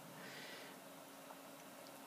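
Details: Dell 745 desktop after fixing overheating and loud fan noise from a factory-reversed fan and dust build-up: soft, steady airy hush with a faint low hum and no rattle or grind. The cooling fan now runs quietly.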